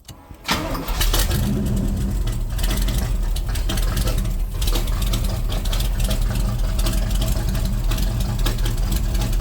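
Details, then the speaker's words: C3 Corvette V8 with a Holley carburetor and large headers: brief crank, then a loud, lumpy idle; floats set too high per the sight glass, causing flooding, a fuel smell and rich running, before the float and mixture adjustment. "so that's what's making it just too rich or what that's definitely part of it I'm going to adjust uh all four barrels too they have fuel mix"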